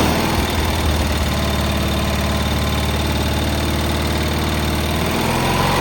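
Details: Cub Cadet 682 with a Kohler KT17 twin, first start after sitting, started by jumping the solenoid: a strong, steady thrum holding an even idle with no knocking or misfire.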